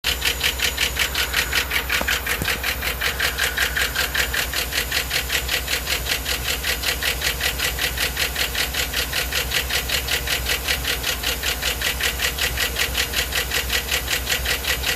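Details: 2009 Yukon V8 (stated 3.5L) with 13k miles: steady rapid knock keeping pace with rpm and acceleration; check engine and StabiliTrak flash at 1500 rpm, then rough idle; oil change and Marvel Mystery Oil quieted it slightly; rod knock, flexplate/torque converter or lifter suspected.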